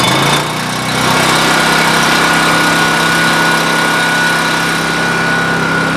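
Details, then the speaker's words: Coleman Powermate 6250 generator with Subaru engine, running on temporary tank: steady busy drone with thin high whine, sounding like it is overspeeding where 3600 rpm is specified. "it showed 156 volts at 68 megahertz or hertz 68 hertz all right now i also found out that the uh i thought it was running off fast"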